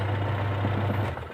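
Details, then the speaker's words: Sharp manual washing machine after replacing the pulsator and gearbox, which had been running very rough and noisy: even low motor hum with no knocking or grinding, then smooth wind-down; normal running after repair. "Oke, kita hidupin dulu, apakah berhasil? Nah, halus, berhasil halus."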